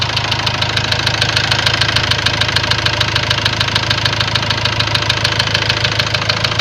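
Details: Ford Transit diesel at steady idle: sharp, even ticks about three per second, identical each beat. Then a warning light came on, revs stopped building, and codes showed high-pressure calibration data, cylinder balance and a leaking injector.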